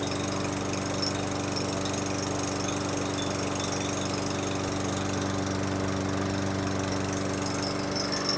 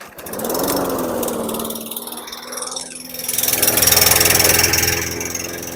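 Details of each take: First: 2018 Murray walk-behind mower, Briggs & Stratton 625EXI, after repair: had low rpm from aged-out fuel, carb showed no blockage; with fresh non-ethanol fuel it holds a steady even single-cylinder drone at constant speed, no surging or misses; normal running. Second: 2018 Murray walk-behind mower, Briggs & Stratton 625EXI engine, oil slightly overfilled, blade adapter damaged by repeated strikes but flywheel key intact: starts but runs at a slow, uneven chug with no power; old fuel or carburetor suspected, carb clean planned.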